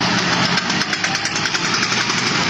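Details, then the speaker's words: Worn car drive shaft: fast, even clicking at about ten per second. "bunyi drive shaft."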